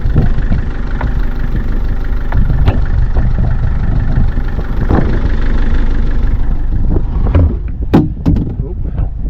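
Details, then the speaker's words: Narrowboat diesel after a cracked radiator repair and engine fix, test-started at the mooring: catches quickly and settles into a steady, even idle with no knocks or rattles, sounding quieter than before; normal start and idle. "Sounds so much quieter as well."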